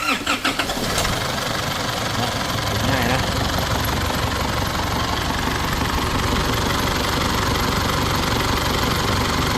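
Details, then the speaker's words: Isuzu D-Max diesel rebuilt after engine overrun (leaking injectors, failed turbo, melted pistons; four new pistons, new sleeves), first start: starter whirs, catches quickly, settles to steady even idle without knocks; sounds good but needs more run-in, residual oil in exhaust. "กับการออนเครื่องยนต์นะเสียงคันนี้ก็ถือว่าเพราะอยู่นะครับแต่ว่ายังมีอยู่นิดนึงต้องรันไปอีกนึงครับ"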